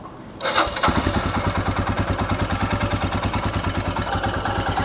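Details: Royal Enfield Himalayan single-cylinder, owned about a week, being checked by a technician for timing chain noise; the timing chain tensioner was the part replaced. Engine catches after a brief crank and settles into a steady, even thump with no chain rattle or ticking: healthy idle.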